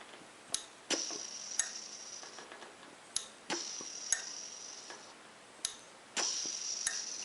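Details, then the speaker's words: Overfilling washing machine, top cover removed, pressure switch hose disconnected and the switch blown into by mouth: a hiss, then crisp single clicks as pressure builds and releases. The pressure switch is working normally. "can hear the clicking so it's good"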